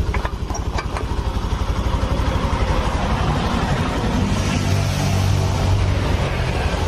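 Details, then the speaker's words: Honda Vario FI scooter after engine rebuild following destroyed piston, non-original muffler cover, kick-started: a few claps then steady even putter at idle, smooth, no knocking or rattle; normal idle. "Nah ini motor sudah menyala sudah tidak berasa ya suaranya sudah lembut kembali sudah normal"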